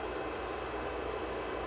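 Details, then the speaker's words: Anet E12 3D printer with upgraded power supply, recorded up close: constant airy whoosh over a low hum from the new power supply fan, the loudest thing running; printer otherwise near silent. "okay so that's the fan the fan on this is actually it's the upgraded power supply is what's making all that racket but it's actually probably the loudest thing here"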